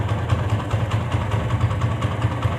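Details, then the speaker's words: TVS Apache single-cylinder after an engine rebuild, earlier "bad-bad" knocking now gone: steady, even idle with a smooth regular beat and no knocks or rattles. Normal idle. "कि अब आवाज नहीं है बड़ बड़ बड़ बड़ करने कर रही थी जो पहले थी"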